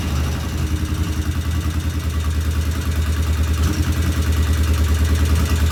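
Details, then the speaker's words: 1975 Norton twin motorcycle, first start after rebuild, checking oil flow: steady low idle with light quick tick and occasional stumble; ticking suspected from one loud tappet, to be rechecked after cooling. "All right, we have a runner, but it sounds like we have one loud tappet."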